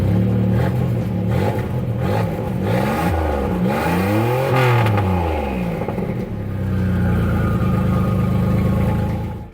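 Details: Turbocharged Toyota 3VZ-E running after the fuel pump was rewired from the battery via a toggle switch: fires, revs up and down smoothly, settles to an even idle without misses or clatter; runs fine.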